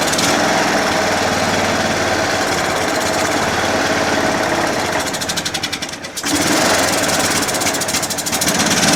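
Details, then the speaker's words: John Deere L100 lawn tractor single-cylinder engine, after carburettor cleaning, on choke at first start: harsh, busy clatter that sags and recovers around six seconds; idle surging, then shuts off by itself, from a clogged fuel-mixture screw passage. "it shut off by itself you know as you guys uh heard it uh it kind of surges right so i want to do the fuel adjustment right screw"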